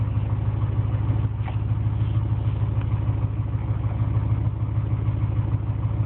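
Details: Engine at idle with a low, even knock about twice a second over the engine note; owner suspects piston slap, cause unconfirmed.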